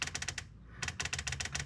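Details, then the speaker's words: EGR valve from a Toyota Land Cruiser Prado 1KZ-TE 3.0L diesel, bench-fed with battery voltage after measuring 10 ohms (spec 10–14): crisp rapid clicking, about ten per second, so it switches normally. A fault when warm is still suspected. "so we can hear it clicking like"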